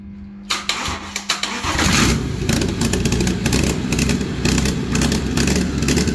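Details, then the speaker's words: BMW 5 Series F11 525d, N57D30A diesel, 197,694 km, manual gearbox, after rebuild for a spun main crankshaft bearing that pushed out the seal: short cranking bursts, then catches and settles into even, steady idle without knocks; runs healthy. "a więc celem aktualizacji nasz przecudowny fantastyczny n57 złożony ma się dobrze po zakładane wszystkie bamby wróciły na niego z powrotem"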